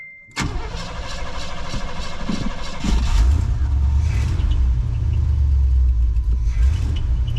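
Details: 1988 Cadillac, not run in 16 years, restarted after a carburetor rebuild kit: cranks and catches, then lumpy, uneven idle with wandering beat; rough idle, idling better than before, cause not confirmed.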